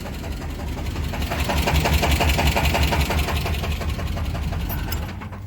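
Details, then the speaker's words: 1998 Chevrolet Sierra 350 V8 that spun rod bearings climbing White Bird Grade, Idaho; restarted after cooling, steady idle with a sharp even tapping about three times a second, lifter-like; teardown found two rod bearings, one burned blue, one loose: rod knock. "I kind of want to see if the knock has gone away because it's cooled down again, but either way it's probably gonna make some sort of noise, so we'll see what it sounds like here. Sounds like a lifter almost."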